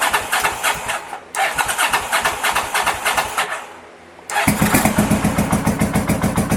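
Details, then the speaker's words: 1983 Honda VT750 motorcycle's first start after a top-end rebuild and modifications, on choke with starter fluid sprayed; starter churns in uneven bursts, catches after a pause, then settles into a loping, steady twin beat; some oil burning afterward, called normal; normal start and choke idle. "turn the key over i'm still [ __ ] nervous he went like i heard the engine turn over which is so [ __ ] great"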